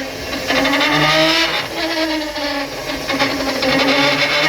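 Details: Ford Raptor with 10-speed gearbox driven around 80: clear whine over road noise rising and falling with speed, loud both accelerating and coasting; worn rear differential gears.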